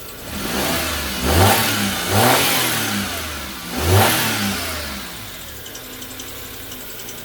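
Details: Daewoo Matiz after an oil, filter and plug service, with the air filter now refitted properly: three smooth rev blips rising and falling cleanly, then a steady quiet idle with subdued induction. Normal revving.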